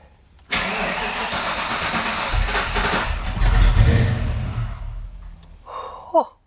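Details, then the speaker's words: 1987–1993 Foxbody Mustang on first start after Holley Terminator X EFI install: about four seconds of rhythmic cranking, roughly three beats a second, no firing; crank, no start. "that was one attempt. All right, let's try it again."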